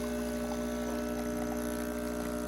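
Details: Breville BES840XL espresso machine after a completed full service/tune-up, final test shot: steady even pump drone with a constant low hum, no rattle or irregular buzzing; pump operating normally.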